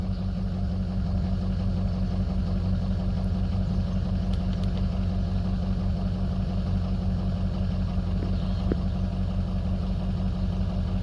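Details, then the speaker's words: Ford 6.0 Powerstroke diesel after a remanufactured FICM replaced one with shorted coil drivers: deep idle with a slightly uneven, loping beat; contribution test shows cylinder 7 dropping and a weird turbo sound; dead cylinder from a faulty injector. "Looks like we're seeing drops on 7 for sure. 3 is a little low. That turbo sounds weird. Yeah, I can feel it in the truck the way it's driving, or at least down one cylinder."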